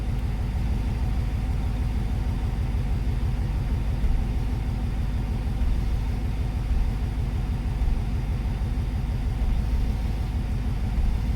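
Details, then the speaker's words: 1994 Corvette C4 LT1 V8 at idle in neutral, clutch test (clutch out, then pushed in): dull regular low thud about three a second under the rumble, changing from click to thud; misfire suspected, unconfirmed. "know if you can hear it but there's like a thud it went goes from a click to a thud with the same regularity"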